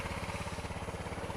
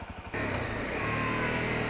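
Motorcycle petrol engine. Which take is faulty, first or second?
second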